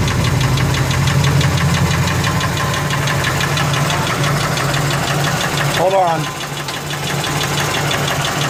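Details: Ford F150 4.6 2-valve V8 running: dull, uneven knock about three to four beats a second; ruled out lash adjusters, owner suspects rod bearings, though it seems to come from the clutch, possibly a broken spring; unconfirmed.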